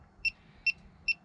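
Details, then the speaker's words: 1988 Chevrolet Suburban Harrison R4 AC compressor after front shaft seal replacement, electronic leak detector at maximum sensitivity: faint hiss with even ticks about every 0.4 s, no rising alarm; no refrigerant leak, previously bad seal fixed. "i'm getting nothing it's at maximum sensitivity i'm getting nothing so that is a good sign i'm just static at about 60."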